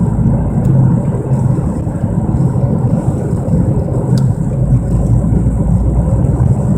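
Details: 1997 Mercury Mystique while driving: heavy, droning rumble in the cabin over road noise, starting on acceleration and getting louder with speed; owner suspects wheel bearing or rotors, cause unconfirmed.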